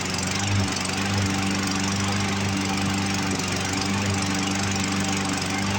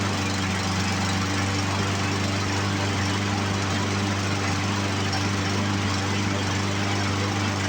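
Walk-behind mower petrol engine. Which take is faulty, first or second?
first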